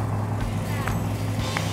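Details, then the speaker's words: Freshly built engine for a 1971 Dodge Challenger R/T, first fire-up on the run stand, right-hand muffler left off: deep, even, lopey burble, firing on every cylinder with no misses; normal idle. "I mean, you've got the vibration. You can actually feel that engine firing on every cylinder."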